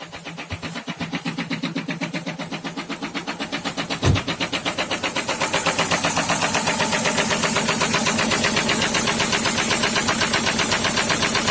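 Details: SsangYong Kyron D20DT diesel: sharp heavy bangs about four a second as it runs; cylinder 4 rod knock after oil pump failure and oil starvation, no oil light or check-engine light, not shown by diagnostics.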